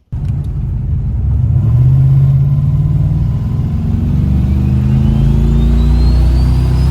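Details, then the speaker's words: Turbo Dodge Diplomat engine after 1.6 ratio Harland Sharp rockers and new pushrods were installed, heard while trying to replicate the fault: it revs up from idle with a rough, uneven knock that tracks engine speed. The knock is not fixed and arguably worse. "Damn, that's pretty bad. That is definitely not fixed. Arguably worse."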